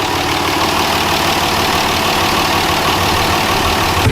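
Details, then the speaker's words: 5.9L Cummins diesel idling right after a top-end rebuild (new injectors, pushrods, head studs, valve springs, coolant bypass), valve cover just reinstalled, warming up to temperature and purging air; even clatter, steady rhythm, no misses or knocks: normal idle. "Alright, so we just got the valve cover back on, everything else bolted back up, and now we're just trying to get it back up to temp and make sure that there's no air in the"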